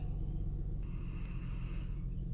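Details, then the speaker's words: Engine idling with one coil pack deliberately unplugged, on the rear passenger-side firewall end (cylinder 2 or 4): low, uneven rumble that lurches now and then, running rough; check engine light not yet on. "Alright, so the code hasn't come back, or hasn't shown up at all yet, but I could definitely feel it running rough, so it should be able to scan it up on here."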